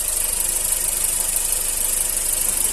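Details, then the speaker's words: 2008–2009 G5 petrol engine idling, phone held against the timing belt cover while testing for a noise. Smooth, even idle with no knock, squeal or bearing rumble: the timing belt area is fine. "o verão correia dentada aqui não tem problema nenhum não tem nenhum barulho"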